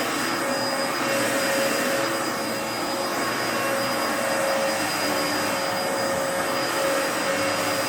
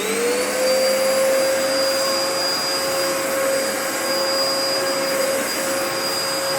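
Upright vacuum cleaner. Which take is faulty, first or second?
first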